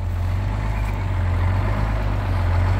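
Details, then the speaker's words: 1971 GMC 9500 with Detroit Diesel 6-71 two-stroke, warmed up on the road after sitting 26 years: deep, smooth, even idle drone with no knocks or misses, idle having dropped as it warmed; healthy, "just purrs." "so listen this thing sounds pretty good we just purrs"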